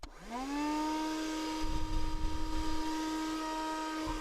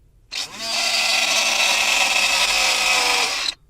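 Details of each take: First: Chezhiku CZK-6604 car vacuum cleaner on the cigarette-lighter adapter, after disassembly and repair of its noisy fan: steady, even motor whine that quickly reaches speed with no scraping or rubbing. Normal running. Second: Chezhiku CZK-6604 car vacuum cleaner powered from the car's lighter socket: small motor spins up to a harsh rasping high whine, fan scraping its housing inside.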